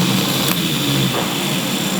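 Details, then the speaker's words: M418G starter motor (MGC-type) cranks fast with a rough, hissy, uneven whir instead of a clean spin; abnormal starter noise, cranking sometimes slow, solenoid or starter motor suspected, not yet pinned down. "fast you can hear you can hear it it's not not making a good noise"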